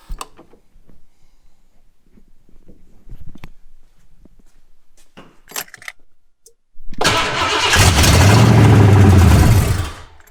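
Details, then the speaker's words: Foxbody 5.0 V8 swap with starting fluid sprayed down the throttle body. It cranks, roars to life for about three seconds, then dies. This points to a fuel supply fault, with dead injectors; the owner questions a clogged fuel rail, the injector harness or a ground. "so there we go it will fire there is a problem with the fuel supply so we need to sort that out"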